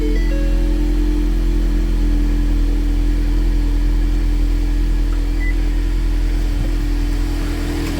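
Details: 2019 Ford Mustang 2.3L EcoBoost, first start after crankshaft balancer seal replacement and engine re-timing, with the high-pressure fuel rail emptied: steady, even idle, smooth low hum, no knocks or ticks; healthy, no leaks.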